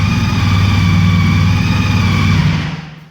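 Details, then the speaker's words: 2014 CTX 1300 Deluxe motorcycle idling in a garage after start-up: a steady, even low rumble with a faint whine on top from the drive shaft to the transmission, described as normal; no knocks or misses, running healthy. "You hear the whine, and that's how it sounds."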